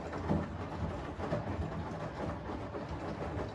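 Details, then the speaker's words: Arçelik 10120 M washing machine (1200 rpm, 10 kg) running a wash: a soft, even rumble with gentle swishing as the drum turns, with no motor whine or knock. Only the drum rotation is heard, which is normal. "motorun herhangi bir ses yok yok Dediğim gibi Sadece kazanın çevirmesi var Arçelik"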